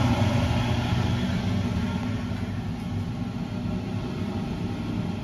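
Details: Vevor food-truck concession hood exhaust fan (Ventilation Direct VXD12, 500 CFM) on first test run right after installation and wiring: steady, even low roar with no knocks, rattles or wobble; fan runs smoothly and sounds healthy.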